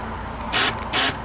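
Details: 2005–2006 Ford Expedition door, panel removed, key turned to lock: two short harsh ratcheting buzzes, each about a fifth of a second, nothing latches; faulty door lock, lock cylinder to be replaced.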